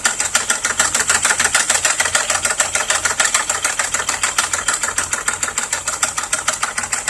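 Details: 2001 Volkswagen Jetta VR6 idling: steady, sharp knock about three times a second from inside the motor, not the shifter rod; owner suspects bent valve or damaged piston, and a crankshaft sensor fault is reported but uncertain.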